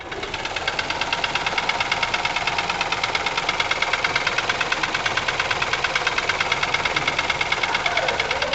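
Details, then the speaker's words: Ford Ka 1.0 12V three-cylinder, 103,000 on odometer, microphone held close; loud rapid metallic knock over rough idle, misfiring and lacking power; teardown found piston slap and leaking exhaust valves. "Eis que a minha hipótese se confirma aqui de barulho do motor lembra que eu falei um pouquinho antes aí no vídeo que eu achava que esse motor tinha dois problemas"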